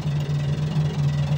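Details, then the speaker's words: Massey Ferguson 300 tractor barn find, key on: steady low buzz with rapid ticking from electric fuel pump running dry, not connected to any fuel line. "You can hear that fuel pump. It's not hooked to anything."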